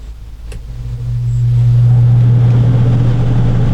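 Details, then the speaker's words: 2019 Coachmen Freelander 27QB RV roof air conditioner, set to cool on the thermostat with the fan on auto, heard inside. The fan and compressor spin up over about two seconds into a steady, even low hum with an airy rush: normal operation. "Again for cool, and just set your temperature for the AC. I'm going to let that run so you can hear what the AC sounds like."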